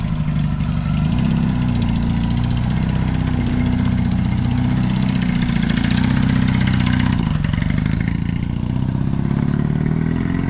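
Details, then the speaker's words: 1981 Yamaha XS650 twin, revived after years sitting with new fuel line and a very low front tyre: steady, even low throb with no knocks, misses or rattles. It runs and drives normally. "so but she runs she drives so next big purchase is tires and lights"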